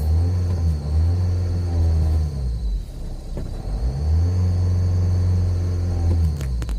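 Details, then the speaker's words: Opel Zafira 2.0 TDI diesel, unused all day, engine not yet warm, heavy exhaust smoke: under full throttle it climbs, holds a flat mid-range drone, then falls back twice; won't rev past 3000 rpm, cause unconfirmed. "Voilà, maintenant je te fais un test du contour. Donc là, accélération à fond."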